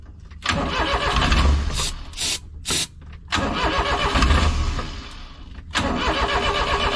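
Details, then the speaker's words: Japanese Kei mini truck, stored off the road for some time, old crumbling air filter foam: several short cranking bursts with brief catches, then it fires and holds a steady idle on its own; normal start. "Are you serious? It's running on its own. This thing's been off the road for quite some time."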